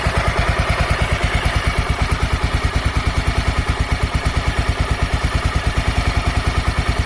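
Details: Honda NX 250 Dominator: steady single-cylinder idle with an even beat of about three a second and no top-end clatter; sounds normal after the earlier noise was apparently traced to the tensioner.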